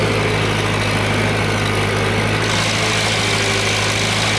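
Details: Worn-out John Deere 3020 diesel tractor, started after bleeding the fuel pump: heavy diesel clatter holding a steady low thrum at even speed; running smoothly, normal.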